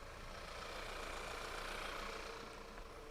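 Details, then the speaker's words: Car engine idling low and uneven, its beat wavering as if about to stall; a vacuum leak is suspected, checked with fuel trim data. "i think i hear a vacuum leak let's graph that and then turn that on for you guys sounds like it's about to stall out"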